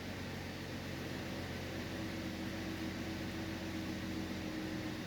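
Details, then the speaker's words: 2011 Cadillac CTS that had a misfire and oil pressure sensor code P0523, now with oil pressure reading improved, at cold start. Smooth, even fast idle with no stumbles or skipped beats; no misfires felt; healthy high idle. "of course we are in a cold start so we got a high idle"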